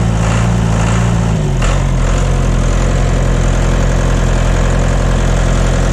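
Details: John Deere 2030 tractor diesel just after refitting overhauled, calibrated Stanadyne/Roosa Master injection pump, cold day, not warmed up: settles from fast idle to steady even low chug, no knock or miss, burning clean, no blue smoke.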